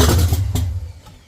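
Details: 1979 Mustang coupe 5.0 V8 swap, first start with carburetor bowl hand-filled: catches with a few loud thumps then runs down and dies; fuel pump problem, carb feed line bone dry.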